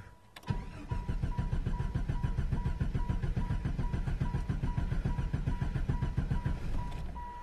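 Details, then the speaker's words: 1995 Jeep Grand Cherokee cranking steadily about six seconds at three to four pulses a second without catching; no-start with loudly clicking ASD relay and flickering check engine light, traced to faulty PCM. "I've been out here working on the Jeep got a video earlier the problem it has you try and start it doesn't want to start"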